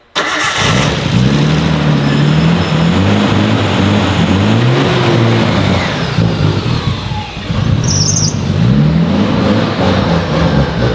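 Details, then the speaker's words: Nissan R32 Skyline four-door, sat over five years, start after refuelling: fires at once, runs strongly through throttle blips, smooth and even on all six cylinders; now smoking heavily from the exhaust. "it sounds a lot better now it's on it's hiding and it sounds like a six cylinder"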